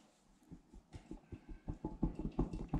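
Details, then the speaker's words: Used quad inspection, wheel rocked by hand: light quick clunks, several a second, not from a loose wheel but from play in the worn inner wheel bearing; bearing needs replacement. "Donc là, on entend qu'il cloque. C'est pas la roue qui est dévissée. Ça sert à rien de visser, dévisser, ça n'a aucun rapport. C'est le roulement qui est à l'intérieur."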